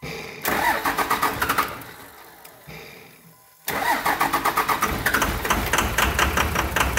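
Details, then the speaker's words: 1999 Cummins diesel after an injection pump replacement, with injector lines being bled. It cranks, stumbles and drops off, then catches and settles into an even diesel clatter after earlier rough running: normal start and idle. "Now, she should start and be pretty clean here in just a second."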